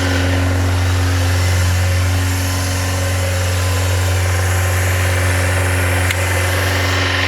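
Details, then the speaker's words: Yamaha FZR400 four-cylinder motorcycle after carb rebuild kit, new number 4 carb, battery and a little fuel: smooth, steady idle with a constant even beat and no stumbles or rattles until the fuel runs out; healthy. "She sounds healthy. That'd be the end of the little bit of fuel."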